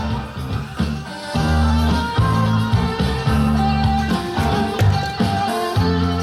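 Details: Sony TC-WE405 double cassette deck playing music after reassembly: unsteady wavering pitch and smeared notes; tape speed fluttering badly, wow and flutter, cause unconfirmed.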